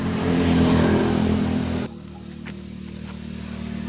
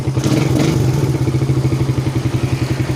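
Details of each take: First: Suzuki Satria FU 150 single-cylinder idling before valve adjustment: loud, busy idle that sags abruptly and hunts unevenly. The idle is unstable and changes between cold and hot, with the exhaust valve clearance too tight. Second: Suzuki Satria FU 150 single-cylinder after valve clearance adjustment and road test: a short throttle blip drops quickly back to an even, steady idle thump with no stumbling. Acceleration and starting are good.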